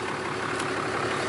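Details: 2012 Ram 2500 4th-gen Cummins diesel idling right after a fuel filter change (Fleetguard FS43255; old filter had about 5,000 miles on it). The idle is steady and even, with a smooth low rumble and no misses or knocks. Normal healthy idle.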